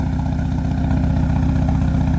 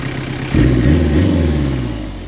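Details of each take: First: Peugeot 205 Turbo Diesel with lightened 4.5 kg flywheel and performance clutch kit: even, steady diesel clatter holding speed without hunting after idle adjustment; normal idle, well set. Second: Peugeot 205 Turbo Diesel with lightened 4.5 kg flywheel and performance clutch, pump deliberately set rich: blips with deep, heavy chuffing roar and slow return, "like a locomotive". Over-rich fuelling, badly adjusted diesel before readjustment.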